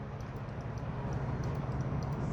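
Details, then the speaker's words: 2024 BMW S 1000 RR clutch lever switches, whose faults can cause quick shifter issues at high RPM, pressed during lever replacement: two light, crisp clicks over low room hum; the clutch switch actuates normally. "can hear the two clicks. Yes. And the one usually doesn't take much to activate once we get the cable set."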